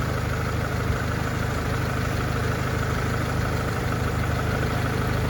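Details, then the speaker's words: Honda 2.2 LX station wagon at operating temperature after the owner's bench-done valve job and rocker work, manifold heat shield still off: even, steady, quiet idle with a low smooth hum and no knocks or ticks; sounds healthy. "pretty quiet unless i did my valve job right or didn't done my rockers right"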